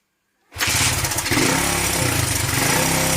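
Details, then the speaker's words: 41-year-old imported Honda XL125S single-cylinder, running after its faulty carb was swapped for a brand-new carb from another bike; fires up right away with a crisp, steady beat and clean response, now responsive and running right. "So we've nicked a brand new carb that was on this one and dropped it onto this one. Now it's right. We can hopefully sound so much better now."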